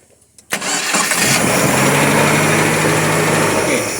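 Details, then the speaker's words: Nissan C22 Vanette with an upgraded electronic ignition; the owner says it runs unevenly and stalls with the aircon on. It cranks briefly, catches, then holds a slightly uneven idle. It runs but not perfectly, because timing is forced high and fuel is set rich. "Memang dia hidup elok, tetapi tidak sempurna. Sebab dia dah paksa timing tinggi, dia bubuh minyak lebih."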